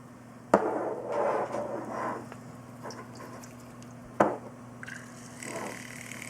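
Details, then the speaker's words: Corsair H100i all-in-one liquid cooler, shaken to put air into the loop: steady low pump hum with irregular gurgles and sharp ticks; micro air bubbles passing through the pump. "so duh that is the sound of micro bubbles going through"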